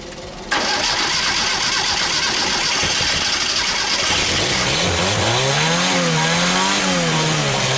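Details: 1974 SEAT 127 three-door, sitting since the 1990s, first start in over two decades on a bottle of gasoline fed to the carburetor: catches and fires up, revs rise and fall smoothly with a clean even note; engine runs well.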